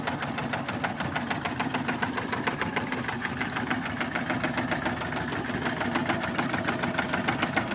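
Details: 2002 Tracker 25 hp outboard at idle: sharp, regular knocking about 3.5 per second rides steadily over the engine; an engine knock, cause not yet pinned down.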